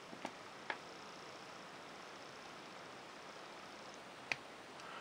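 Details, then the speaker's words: Sheaffer Snorkel Sentinel fountain pen (made in Australia, circa 1950s, 14k Triumph nib): a few sharp, tiny clicks in a quiet room as the snorkel tube locks at full extension; normal, ready to fill. "so you hear that little click, so that's ready and fully extended."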